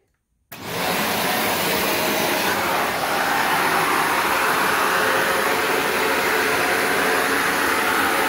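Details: Shark NV355 vacuum, about three years old, used in converted handheld mode; after switch-on settles into a steady, full rushing roar with no rattles or pitch dips; strong, healthy suction and airflow.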